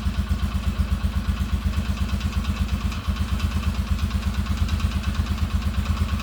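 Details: Marketplace ATV sold as needing a new engine: even, steady putter at about seven beats a second with no knock or miss. Runs with no problem; normal running.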